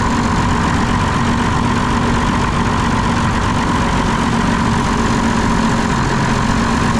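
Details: Diesel engine on a concrete pump with air in the fuel system, injector lines opened to bleed, throttle screw adjusted: heavy, uneven, lumpy chugging; weak lift pump suspected of drawing air, later replaced. Rough running from air in fuel.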